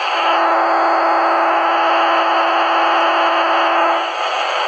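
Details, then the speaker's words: AMB160/AMB260 kart or car transponder held near an AM radio produces a steady, loud, low buzz over hiss, showing it is transmitting normally and should work on the track. "That buzzing noise is your transponder's signal being transmitted. If it's making that noise, your transponder's transmitting, and 99% it will work absolutely fine on the track."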